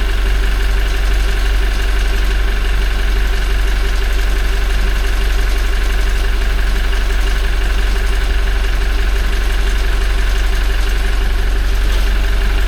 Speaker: Есть этот звук, он даже сейчас он прослушивается немного. О, начинается. Вот. Тихий такой достаточно. Но он есть.